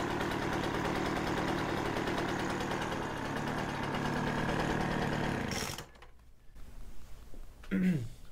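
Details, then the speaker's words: Poulan Pro 25cc leaf blower that started then stalled, after carburetor and fuel system cleaning, warming up in a cold shop, no air cleaner or fuel filter: smooth, even two-stroke idle without surging or stumbling; runs fine. "sounds pretty pretty darn good to me"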